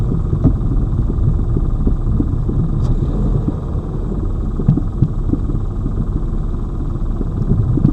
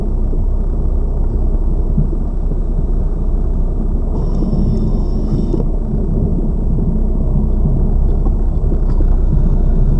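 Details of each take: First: Lada Vesta Cross, old original right front strut (only the left was replaced under warranty), dashcam aimed at the right strut mount, mount wrapped in rags to isolate the sound, driving over bumps: dull low irregular thuds over road rumble; the right strut is knocking. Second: Lada Vesta Cross, left front SAAZ strut replaced under warranty the day before, dashcam aimed at the left strut mount while driving over bumps: only a steady low road rumble with no knocks or clunks; the new strut sounds quiet and normal.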